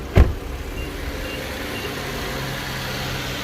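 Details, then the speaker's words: Infiniti Q50 VQ37 with 156,000 miles, just after spark plug change, valve covers leaking: after a single bump, engine settles into quiet steady low idle with no stumble or hunting; runs fine. "Alright. Perfectly fine. Let the car warm up."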